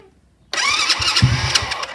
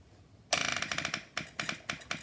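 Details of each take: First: Supercharged Postie bike with newly added fuel pump for nitrous, very cold, attempted start without choke after pump squirt: sudden crank and rough sputter that won't settle to idle; hard starting, owner suspects it flooded. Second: Supercharged postie bike with a newly fitted fuel pump for the nitrous setup: fast ticking at switch-on slows to sharp separate clicks a few times a second as the pump fills; normal priming.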